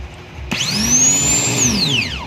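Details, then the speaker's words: Toyota Hilux starter motor, which only clicked in the car, bench-tested straight off the battery with the body as ground: the whine climbs fast to a steady high pitch, holds about a second, then winds down smoothly. Free spin is normal. "Yun oh. So umikot siya. So first step, inikot natin yung reverse."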